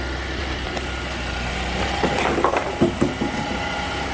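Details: GM 3.6 L V6 (Traverse/Acadia/Enclave type) just after water pump and belt replacement, battery on charger, coolant level holding: smooth even idle, steady low hum, a few handling knocks. Sounds normal.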